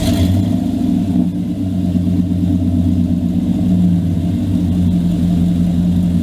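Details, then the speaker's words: 2000 Dodge Dakota after repairing rusted-through exhaust pipe with clamps and brackets: steady, deep, even engine hum through a light rev with no puffing or rasp; exhaust sealed, normal running. "well guys as you saw and heard i got my exhaust fixed finally and i put those exhaust clamps or brackets on there because i just needed it to be a quick fix"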